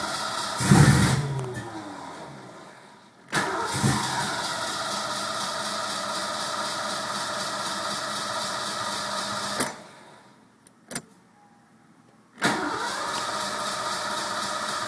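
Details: Mustang 5.0 with newly replaced distributor, ignition control module and negative battery cable: cranking, then it catches with a sudden roar as the tach spikes, runs rough, stops, fires again; hard start, owner suspects the coil, unconfirmed.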